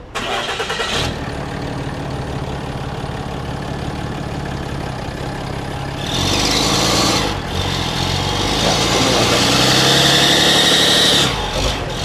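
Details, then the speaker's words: Cummins diesel work truck used to tow trailers, noise progressing from squeal on exhaust brake only to almost constant: cranks, catches, then sharp ticking puff about three per second at idle; severe exhaust manifold leak, mostly at the rear. "Your exhaust manifold is leaking pretty severely, especially from the back and a little bit from up here."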